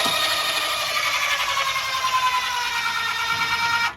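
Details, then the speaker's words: 26RKWS camper front jacks lowering on one motor: high steady motor whine straining as the jacks touch ground and take the weight, normal labouring; cue to release the button. "Okay, so you were able to kind of hear the labor of the motor when it started to work."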